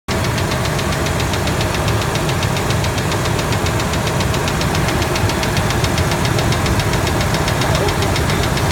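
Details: 1997 Ford F-150 V6 idling with a quick, steady ticking knock from the top end that keeps pace with engine speed. By stethoscope on the rocker arm bolts it is louder on the middle cylinder, both valves.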